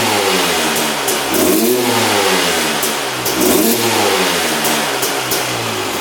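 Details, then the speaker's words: 2001 Honda CR250 two-stroke, freshly started on the choke after not running; two slow rev rises about two seconds apart, climbing lazily and falling back, smoking a lot; dull throttle, owner suspects rich running, unconfirmed. "It is smoking quite a bit and on the throttle it's not, you know, super responsive. So, to me, it does seem like it's running a little bit red."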